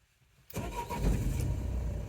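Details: 2004 Renault Trafic 1.9 dCi after repairing its crank-no-start (DF195 fault): silence, then the diesel catches straight away and settles into a steady even low idle with no knocks or misses. It starts and runs normally.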